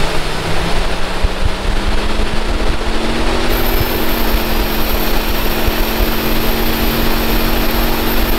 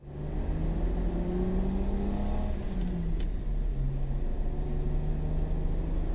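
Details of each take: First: My jeep started to develop this high pitch squeal when at 3000 RPMs. The squeal could be heard inside the jeep at any speed, as long as the RPMs were above 3,000. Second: Jeep with manual transmission on test drive after belt squeal fix: engine pulls smoothly through higher rpm under load, steady rising drone, no squeal or chirp; squeal had appeared above 2000–3000 rpm; normal belt drive.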